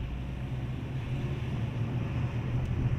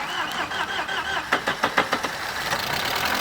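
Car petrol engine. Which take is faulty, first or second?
second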